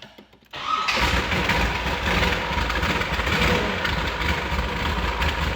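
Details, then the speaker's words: 1969 Chevrolet Corvette ZL1 replica, 427 ZL1 V8 with M22 4-speed, started cold: brief crank, then it fires at once and holds a steady high idle with no misses. A healthy cold start. "Let's test out how it starts up. Cold natured for sure."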